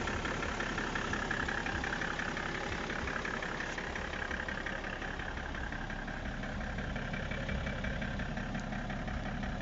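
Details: BMW E60 535d diesel at steady idle: regular light knock of roughly three per second over the clatter. Owner asks whether the engine is running normally; source unclear.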